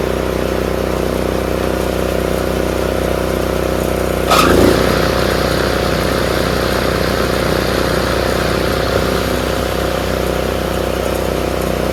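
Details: Craftsman RER1000 riding mower after shortening a spring to fix high revving: steady single-cylinder drone, short thump as blades engage, engine holds speed evenly under deck load; normal.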